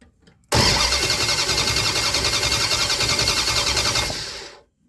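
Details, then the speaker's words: 1975 Dodge Dart after new gas tank install: steady cranking at three to four beats per second for about 3.5 seconds, never firing; spark issue again, cause unknown (owner suspects ground). "as bad as I wanted to have this thing running today on this video I just it's not gonna happen I'm having a spark issue again"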